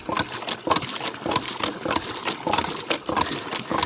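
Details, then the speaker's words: Hand well pump on iron pipe, not pumped at full speed: quick, even strokes around ninety a minute with water splashing each stroke; the pump draws well and the fill took a little over a minute. "it probably took a little bit over a minute but I'm not pumping at my fastest either"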